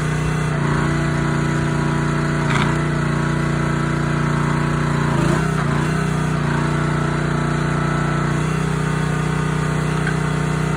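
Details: Honda GX160 SplitFire wood splitter after carb clean and oil change for bogging when splitting; steady single-cylinder drone holds even pitch through brief load dips without surging or hunting, running smooth and healthy.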